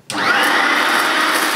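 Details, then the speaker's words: Vintage 1980s Hoover S1122 Dustette handheld mains vacuum, new in box, 150 W dirty-fan design, first run: steady high-pitched motor whine with rougher airy rattle as couscous debris passes through the fan before the bag; running normally. "see well that is good a lot better than the Hoover click that was a disaster"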